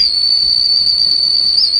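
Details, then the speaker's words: Deforest 10DA517 AM tube radio after replacing all capacitors: steady high-pitched whistle at one pitch, unwanted oscillation; blocking one tube's grid, far from the audio section, stops it, another tube makes no difference; source not yet found. "Now, something else I noticed in my earlier video, when I block the grid on this tube, it cuts out this horrible squeal."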